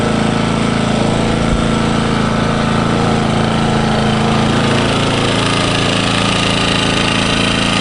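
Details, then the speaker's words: New Engel 2500W inverter generator, Eco mode, powering a roughly 150 W camping fridge, microphone at the rear end: low, smooth, even hum at constant speed, no knocks or hunting; quiet and healthy. "way quieter than I thought it would be that's on eco mode at the moment"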